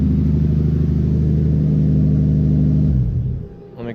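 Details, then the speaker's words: RX8 with 2JZ inline-six swap, after replacing one defective new spark plug that caused random idle misfires; fires up and settles into an even, steady idle with no stumble or skip, then shuts down. "when again when I replaced that it fires up pretty nice idles fine"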